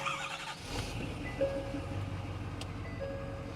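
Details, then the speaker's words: Ford F350 6.7 Power Stroke diesel 4x4 after exhaust section was unbolted for DPF removal and cleaning, exhaust sensors disconnected, reduced engine power: steady, even diesel idle that holds without stalling or dying. "It's running and it's not dying. That's a really good news. Reduced engine power, that's for sure, because all my sensors on the exhaust system, they are disconnected."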